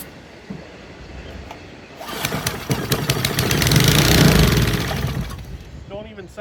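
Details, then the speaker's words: Old Briggs & Stratton engine pulled from the trash, crushed rusty fuel tank: catches and runs a few seconds on choke at an even steady beat without smoke, then fades out; basically sound. "recoil is DED up now it's trying to run it's got fart oh no way no way way somebody threw away a good brick"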